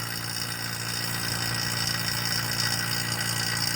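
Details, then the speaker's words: Vacuum pump evacuating an LG fridge (FLB075LBNA, R134a, new linear inverter compressor) with a deliberately created leak; constant drone with rough airy hiss, loud and unsettled after closing valve, showing it is still drawing air. "if we close the valve they saw as if I would have made a smoothie but not because is still drawing air"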